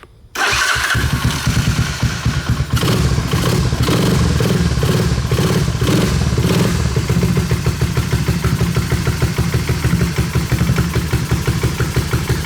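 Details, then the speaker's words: 1986 Honda ATC250ES Big Red, 250cc four-stroke, sat five years. First start on a remote tank after carburetor install, choke on: brief cranking, catches at once and settles into a steady, even idle with no knocks or misses. "Idling. Man, this thing sounds good."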